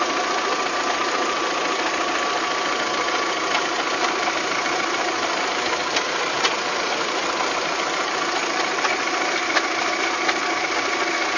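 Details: Volkswagen Golf 3 at idle: sharp irregular ticks or knocks once or twice a second over a thin, hissy running note; abnormal engine knocking, source unclear.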